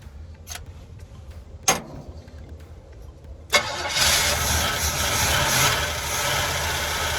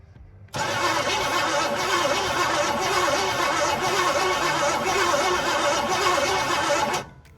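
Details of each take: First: 1981 GMC Sierra half-ton 2WD V8, unknown condition, carbureted with working choke, possibly flooded: catches after sputters, rough idle with light ticking rattle; valve train rattle, owner suspects stuck lifter on passenger side. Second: 1981 GMC Sierra half-ton 2WD, auction truck sat in a field for an unknown time, 2-barrel carb, starter wired directly; steady six-second crank with even rhythmic compression chug, no catch; engine not seized, compression sounds healthy.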